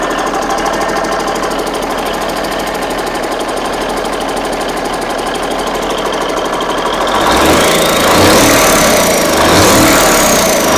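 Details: Big Cam Cummins NTC 365 diesel: several seconds of steady cranking, then fires into firm even run with no knocking, no smoke; healthy.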